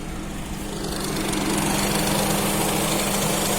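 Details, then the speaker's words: Honda Accord 7 after engine rebuild with new bearings (worn bearings caused knock), in drive with A/C switched on: steady even petrol idle, smooth hum, no knocking or rattle; normal idle. "работает нормально не стучи и гремит"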